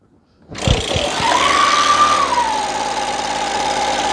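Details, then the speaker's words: Echo PB265L backpack blower two-stroke, no-start from no gas and clogged air filter, fresh fuel mix added, choke on, throttle about half: fires on the pull, revs briefly, settles into steady even drone; normal running. "you believe that golly this is going to be a short video huh simple things first folks simple things first"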